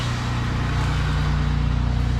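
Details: Monte Carlo after fixing misfire codes P0201/P0301 caused by a squirrel-chewed wire repaired and taped back into the harness, check engine light now off: smooth, even low rumble at idle with no stumble or skip, engine idles cleanly.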